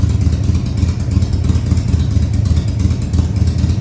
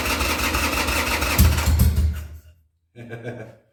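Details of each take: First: 2000 Harley-Davidson Sportster 1200 Custom, first start after six years sitting: deep, lumpy V-twin beat held at fast idle after several throttle-held runs, firing steady with no misses or clatter; oil tank then checked full. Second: 2000 Harley-Davidson Sportster 1200 Custom after six years sitting: starter cranks the V-twin at three to four beats a second with choke, tries when choke pushed in, but never catches; the carb's accelerator pump wasn't yet primed.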